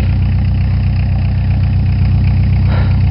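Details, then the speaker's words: 1987 Ford Escort diesel just after a hard cold start at about 30°F with repeated glow plug cycling: loud rough uneven clatter with deep throb at idle, settling and running steadily, heavy smoke; normal cold diesel. "Now you might be saying, why is this thing knocking so bad? It's not knocking. Diesel! That's right. This Escort is a diesel."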